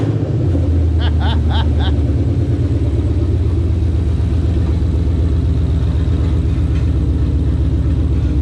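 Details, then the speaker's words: 2002 Mustang GT with Coyote V8 swap on first start: deep, steady V8 rumble with an even, smooth beat and no misses or knocks; cluster and gauges working except the uncalibrated fuel gauge. "as you can see it's alive it fires the clusters work and all the gauges are work and the only thing that's not working is the the fuel gauge just because you got to calibrate that"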